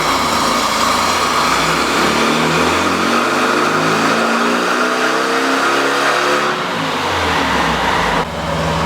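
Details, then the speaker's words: Neglected 1600 dual-port air-cooled VW Beetle flat-four, repeat dyno pull with working ignition advance: hard, even, steadily climbing roar under load, no misses or knocks; almost 53 hp, healthy full-power run. "almost 53 it's not a bad engine it's really not a bad engine at all"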